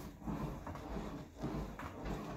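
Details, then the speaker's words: Horizon Evolve 5 elliptical (Johnson Fitness) after greasing and re-tightening the arm hinge pivots: only a soft even whoosh each stride, no squeal or creak; squeak fixed. "no more sound pretty smooth I would say it's working pretty good so that's how you can service your thing and stop it from making that crazy squeak sound"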